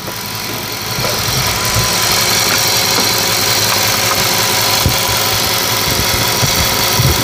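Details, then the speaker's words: Audi S8 idling after intake manifold work: steady even idle, no misses, hunting or hissing air leak, constant airy background; no engine light, no fault codes on the scan tool, no leaks at the fittings; normal idle. "regardez on a pas le voyant moteur et le régime tour minute et ben il tourne impeccable regardez ça tourne bien on va aller voir le moteur vous allez voir que ça tourne rond il y a aucun souci il y a aucune prise d'air"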